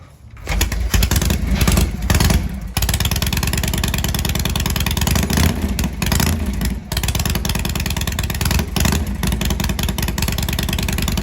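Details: Shovelhead V-twin after setting static timing, which fixed hard starting and cutting out at higher rpm, cold start: fires up, catches clean, revs freely without cutting out and settles into a steady loping idle; running properly.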